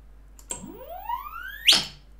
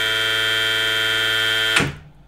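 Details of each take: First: VESC controller on firmware 6.00 beta 40 running silent HFI sensorless with motor inductance set too low: thin whistle climbs steadily in pitch, then breaks into a harsh burst as the controller loses track of the motor. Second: Outrunner motor on VESC firmware 6.00 beta 40 with silent HFI sensorless control, clean steady high-pitched whine at full speed, then cutting off sharply under full 80 A braking down to zero while tracking position; motor and controller running properly.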